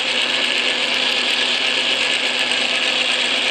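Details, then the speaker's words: Atlas Craftsman lathe after shimming to correct tumbler gear lash: even, steady gear hiss with no knock or rhythmic thump, earlier grumble gone; gear train meshing smoothly, run unloaded before engaging carriage feed. "I think it's sounding pretty good now"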